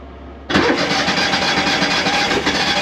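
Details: Argo Avenger EFI after fuel pump and filter replacement: quiet, then engine catches instantly and settles into smooth even idle without sputtering; starts and runs fine.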